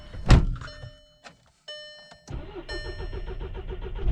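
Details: Cold VW GTI on a brisk morning, cam/crank correlation code P0016. Catches after a stumbling crank, then settles into an uneven, lumpy rough idle. Cause was a faulty magnetic cam adjuster and oil control spool valve.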